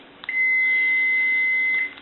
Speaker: that's a continuity check so what I want to do is I want to check these uh the switch now if I push it down the continuity goes away when I let go of it we have continuity